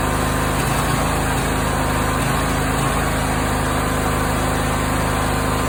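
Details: Briggs & Stratton 20HP V-twin mower engine running with irregular dull popping from the exhaust, not the intake. It was three times louder in winter and briefly cured by Sea Foam. The cause proved to be incorrect valve clearance, fixed by adjusting the valve lash.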